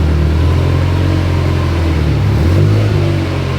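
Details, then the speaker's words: Rebuilt Subaru STi engine with AVCS reading correctly after about 20 minutes of running; a new AEM oil pressure sender wasn't reading. Deep, even drone with a smooth rise and fall in revs, no knocks or rattles; normal running. "crazy what 70 psi of oil pressure or of pressure in general does but on the plus side it appears so far the car is perfect avs avcs is reading perfect we've let it run for like 20 minutes"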